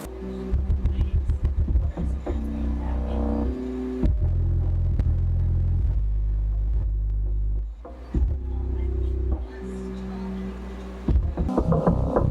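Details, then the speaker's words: Alpine Type S subwoofer, repaired, free air (no box), on NVX XAD11 amplifier around 200 W, 3.5-4 ohm: deep clean full bass, no rattle, buzz or flapping cone; normal subwoofer playback. "I gotta say, it doesn't sound that bad either. For an 8-inch subwoofer, sounds pretty good."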